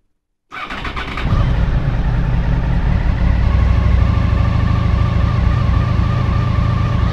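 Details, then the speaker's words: 2000 Honda VFR800, injected, after reseating the ignition coil connector that had lost contact over winter and fitting new oil. Cranks briefly, catches and settles into a smooth, even, higher idle on all cylinders while still cold; healthy. "Есть! Заработал! Сейчас кататься поедем. И обороты выше стали."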